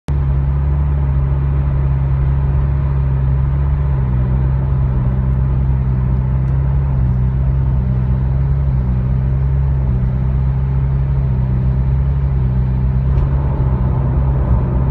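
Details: Nissan All New Livina CVT at constant road speed: cabin drone with engine revs rising and falling every second or two, normal at idle; CVT fault suspected, fuel pump and coils ruled out.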